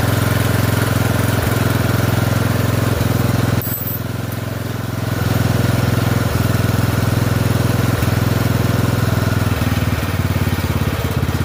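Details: Poulan 12538 XT riding mower, 12.5 hp single-cylinder, 38-inch deck, after new carburetor fitted (old one leaked gas into crankcase): steady thump at fast idle, brief dip near four seconds, then even firing; normal running.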